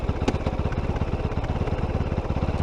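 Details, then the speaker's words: Kove 450 Rally Euro 5 single, hot after riding, still in break-in: thumping idle with uneven pulse spacing and a wavering, hunting beat; idle not too stable, with clunking noises when the clutch is let out. "not too stable. And when I let the clutch out, there's a lot of cloning noises."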